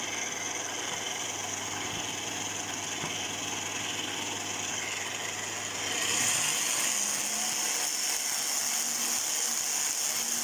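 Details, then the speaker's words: Kenwood food processor in meat-grinder mode with a detached, bouncing gearbox cover: harsh high gear whine with rasp growing louder and brighter under load; planetary and bevel gears found with worn teeth. "Это означает, что как планетарная, так и коническая шестерни имеют изношенные зубья;"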